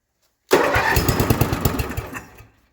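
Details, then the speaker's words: 1978 Yard-Man Snowbird snowblower, 10hp Briggs & Stratton single-cylinder on temporary fuel tank: catches right away with even firing pulses, runs cleanly then winds down; healthy quick start. "Oh, that was quick. The drive system doesn't seem to work. It runs pretty darn good though."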